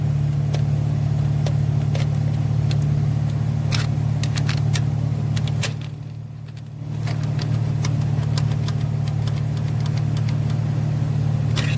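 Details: 2015 Chevrolet Silverado 5.3 V8 with a P0300 misfire and blinking check engine light: sharp, uneven valvetrain tick at idle with a rough, stumbling beat, traced to a collapsed lifter that does not hold pressure.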